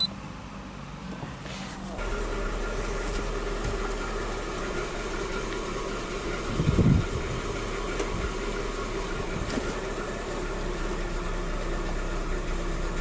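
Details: 2006 Hyundai Tucson losing power while driving, P0507 code, stalling, parts already replaced elsewhere: low idle with slightly uneven wavering beat and a door thump; lean rough idle from failing fuel pump.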